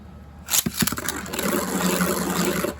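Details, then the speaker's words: Beyblade after balance tuning by flipping the tip orientation: sharp launch clack, then an even, steady whirr with no wobble or rattle; the most balanced spin. "Alright, so that does sound the most balanced to me."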